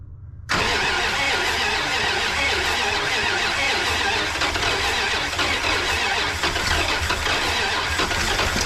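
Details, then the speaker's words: 1988 Dodge Power Ram engine after sitting 23 years, formerly locked on at least two cylinders, new intake fitted, first start with choke; ragged uneven idle with hissy clatter, needs an oil change, but no knocking: rough idle. "Ah. A little noisy. She needs an oil change. Sounds a little rough. But, you know, it's not knocking, so that's something."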